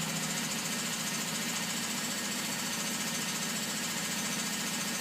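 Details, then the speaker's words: Opel Kadett B OHV 1.2 S tuned engine, high compression, sharp camshaft, large valves, original carburetor refitted, idle low: fast light ticking three or four a second; owner suspects valves though lash set 0.2 mm intake and exhaust. "jedenfalls jetzt di das Tickern das man hört dürften die Ventile sein"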